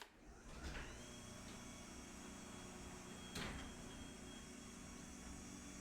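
Quiet smooth motor hum with a soft even whir as the door travels, no chain rattle or grinding; opener running healthy.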